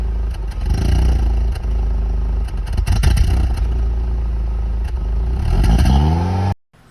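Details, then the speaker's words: Maruti Swift petrol revved: irregular pops and stumbles from the exhaust/silencer on acceleration; idle rpm needle also fluctuates at low speed and the car lacks pulling power. Ignition misfire. "Swift petrol സൈലൻസറിൽ നിന്ന് ഒരു പുതു എന്ന് പറഞ്ഞൊരു sound കിട്ടോ raise ആക്കുമ്പോൾ, അതാണ് complaint."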